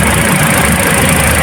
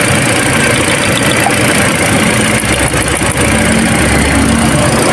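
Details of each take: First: Toyota Altis shaking, vibrating and low on power: petrol engine idles unevenly with a stumbling low thrum; misfire traced by swapping coils to a faulty ignition coil on cylinder two, then replaced. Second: Toyota Altis petrol engine that shook and lost power, after replacing the faulty number two ignition coil: idles smoothly and evenly with a steady low hum and no misfire stumble; spark plug was fine.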